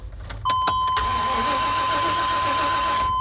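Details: Chevy Express van, weak battery, crank no start after PCM programming failed: starter churns steadily under constant door chime, engine never fires; no spark, diagnosed faulty ignition control module, runs after replacement.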